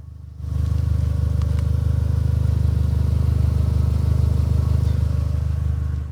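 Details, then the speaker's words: Mk4 Golf GTI 1.8T, short run with exhaust kept cool, ABS light on: low even puffing pulse at idle, about three and a half beats a second, heard from underneath; sounds like a slight exhaust blow, to be investigated. "Just sounds like a slight blow that we'll investigate."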